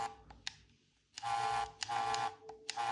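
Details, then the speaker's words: Xbox Elite Series 2 controller (Series X), bought new, vibration test in settings: buzzy pulsed rumble with a plasticky rattle when the triggers vibrate; left and right main motors feel different, right vibrating faster. "can hear that annoying plasticky sound. And if we head over to configure in order to vibrate each part of the controller individually, vibration, here's the left trigger, sorry, that's the left one, and that's the right one. So it's pretty fucking loud, it's annoying, and I don't think it's actually supposed to be like"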